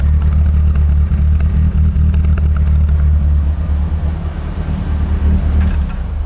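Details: AE86 on temporary substitute carburetors swapped in for the faulty Webers, free revving with a coolant leak and slight smoke: deep, even exhaust note pulls cleanly and settles back without stumbling; confirms the Webers are the problem.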